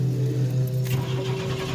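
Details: 1993/early-1994 Chevy S10 Blazer 4x4 4.3L at 190k miles struggling to start hot or cold, then dying when warm. Ignition module, fuel filter, plugs, wires, cap and rotor are already replaced; owner suspects low fuel pressure or bad spider injectors, unconfirmed.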